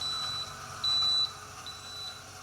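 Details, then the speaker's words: 2015 AEG Favorit Electrolux dishwasher: three high beeps, pause, repeating, display i30, pump kicking in occasionally; leak protection, water in the base tripped the float into emergency mode; fixed by thorough cleaning. "Three beeps, pause. Three beeps, pause. And the display read i30. And every now and then you could hear the pump kick in."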